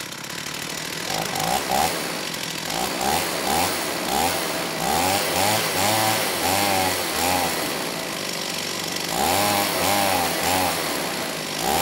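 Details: STIHL 028 AV Super chainsaw, amateur rebuild with non-OEM parts after straight-gas burnup; high idle, choke off, revs hunt up and down without settling, poor response off idle, slightly lean at high speed, carb hard to tune; crankcase air leak.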